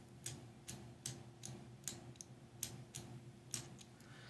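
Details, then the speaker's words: LDO Voron 0.2 3D printer, filament runout sensor in the right rear foot, filament pushed through by hand: crisp clicks about twice a second over a faint hum. The switch engages properly. "yeah, that's definitely engaging that switch when the filament comes through."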